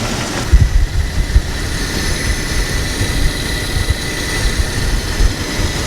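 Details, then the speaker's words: Petrol engine with P0300, P0304 and P0320 misfire codes, fresh spark plugs fitted again, old coil pack still in: rough, uneven idle with irregular low thumps and a knocking sound inside the engine; owner asks what the knock might be, cause unconfirmed. "so guys I don't know if you can hear that it's like a knocking sound inside the engine I just went ahead and replace all the spark plugs again this is with my old coil pack anybody know what the knocking sound might be"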